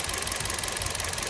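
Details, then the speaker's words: Kia Rio at idle: rough, uneven chuffing with a hard edge to each beat. Scan shows misfires on cylinders 2 and 4; unplugging the cylinder 4 coil connector gives no reaction. "so first we G the vehicle so there is a misfiring on Uh cylinder number two and number four"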